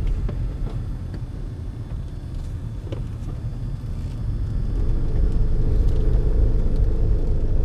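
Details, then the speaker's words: 2004 Honda CR-V rear differential, before the drain and refill with Honda fluid: low, uneven rumble with a pulsing shudder about three times a second while creeping through tight turns and parking lot maneuvers; differential fluid breaking down. Rear differential shudder. "it's got some noise and shuttering coming from the rear differential on tight turns and parking lot Maneuvers"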